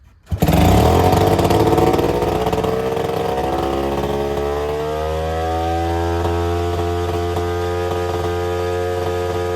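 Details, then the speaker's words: Attex 6x6 with two-stroke Rockwell engine, restarted after being choked, oily inside: catches with a bang and screams at high, slowly settling revs; owner suspects it is loaded with excess fuel. High idle after restart. "We're gonna fire it up one more time to see if it idles its way back down. I think it's just loaded full of fuel right now."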